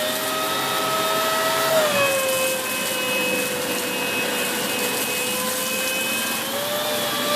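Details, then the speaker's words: Dyson Big Ball Animal CY23 cylinder vacuum, three months old, with turbo brush head: steady roar carries a loud whistle from air leaking at a hose joint, dropping in pitch as the head is pulled backwards. "So if you notice that when I pulled it backwards, there was that loud whistling noise, like a. And that noise was basically the noise that it's making where it's leaking from that joint here."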